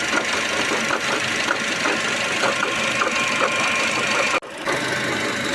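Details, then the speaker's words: Ravon R4 engine at idle, ticking noise from front of engine; pump or tensioner bearing suspected, pump found with bearing play causing the knock; light, fairly regular ticking over steady hum, before pump replacement. "Шықылдаған дыбысын таппай жатырмыз. Помпадан или натяжной подшипник деген күдікпенен қазір ашып көреміз."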